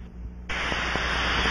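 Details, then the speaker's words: Ultrasonic scan of a pressurized aircraft cabin with an Ultraprobe 2000, fixed band mode, log meter mode; rubber probe on the leak site and sensitivity reduced reveal a steady rushing hiss from a pressurized gas leak. "scan the area following the characteristic rushing sound use the rubber probe reduce the sensitivity and listen"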